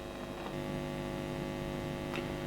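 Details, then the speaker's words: Fender Blues Junior valve amp: a steady low mains hum with rich overtones, low at power-on and noticeably louder two minutes later as it warms. Heat-related leakage on the valve sub-board, not the capacitors. "well here we are literally just two minutes later and already the hum is noticeably louder"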